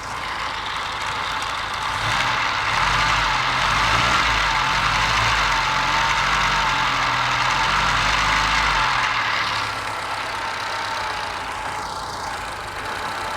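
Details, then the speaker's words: Test engine earlier missing on one cylinder despite excellent compression, sparking seen, sticky valve suspected, distributor next to adjust: low beat wavers, then steadies and smooths over several seconds; now firing on all cylinders. "You can hear it's getting better and better. pretty well convinced."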